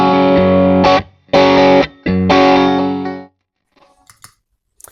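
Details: 18W Plexi clone tube amp after no-sound repair, miked test cabinet with Eminence Red Fang and Celestion speaker, mic just off cone center, playing a loop: clean full chords with crisp breakup, silent gaps, no hum; fixed, running well.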